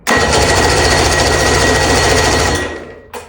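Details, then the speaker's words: Outboard engine with carburetors just rebuilt with modern gaskets, cranked without starter fluid: even cranking churn that never catches because the spark plug leads were not connected; no spark, starts once hooked up. "What are we missing? Didn't hook up my spark plugs."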